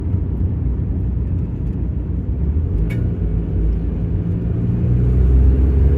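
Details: Mazda Miata driving: low road rumble broken by a sharp metallic ping/clunk, first suspected rear swaybar, found to be worn rear driveshaft U-joint near the differential; replacing it with a Dorman unit cured it.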